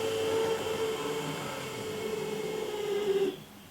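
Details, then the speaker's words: Used non-sound Atlas EMD S9 locomotive running with a thin steady whine that appears as speed increases, absent at very slow speed; began after an earlier lubrication attempt, likely dirty or improperly lubed drive. "This is non-sound equipped, by the way. There it goes, that whine."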